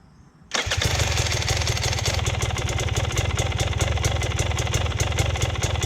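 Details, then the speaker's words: Motorcycle V-twin (TPI, fuel-injected) on cold start: slow, lumpy, loping idle close to stalling; idle set too low, causing stalling at slow speeds in gear and hard starting in gear, before the easy idle mod raises it. "it's a cold start it's gonna idle a little bit lower but this bike does idle pretty damn low and that's the reason for stalling out at slow speeds in gear"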